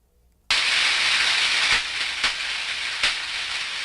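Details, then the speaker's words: Electrical ultrasound recording taken 30 days after an earlier one: a steady loud hiss broken by sharp irregular pops, three in a few seconds. Electrical tracking that has possibly degraded over time. "oh boy a lot of popping going on there isn't it you think it kind of degraded over time by the way there was 30 days in between these recordings"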